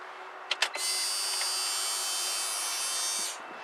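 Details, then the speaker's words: 2000 BMW 323Ci, new fuel pump plugged in for a test before installation, ignition on: a couple of clicks, then a steady high whine for about 2.5 s that stops cleanly; the pump primes normally. "I'm going to turn the car on and that should cycle now"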